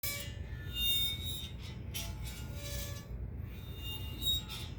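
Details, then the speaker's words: Brand-new, out-of-box RØDE PSA1 microphone boom arm for a podcast studio; intermittent thin squeaks and scraping as the arm moves, the internal spring rubbing metal on metal, suspected bad batch. "What is that sound, you ask? That's a brand spanking new Rode PSA1 boom arm for our podcast studio."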